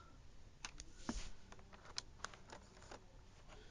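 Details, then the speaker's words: Acer TravelMate 2350 laptop DVD drive after inserting a disc at BIOS setup: quick dry ticks and short clicks over a quiet room hum as it seeks the disc; drive working normally. "Right, you can hear it seeking. It's a good start. It's making noise."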